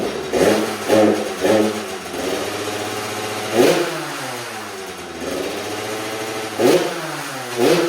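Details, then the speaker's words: 2000 Kawasaki KX65 two-stroke, bought rough after sitting outside, first start: crackles into life, blips sharply several times, then settles to a ringing, even idle between revs; it runs. "Easy enough. I guess it does run. That's sweet cuz then I can put it directly into that frame."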